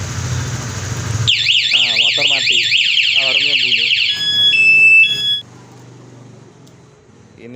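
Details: Honda CB150R with an aftermarket alarm: the engine is idling, is killed remotely by locking from the remote, then a siren wails up and down about four times a second, followed by steady chirps. This is the remote engine-kill alarm.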